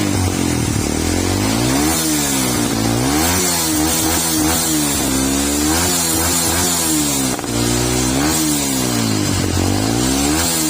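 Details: Yamaha R15 v2 motorcycle with a no-start and spark plug problem; the engine blips up and drops back in repeated clean revs, picking up quickly without stumbling, and sounds like it is running properly.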